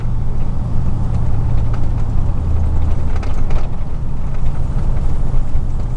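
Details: 2000 Chevy truck, 4.8 V8, four coils deliberately unplugged, driving; deep lumpy uneven rumble; misfire, running on four cylinders.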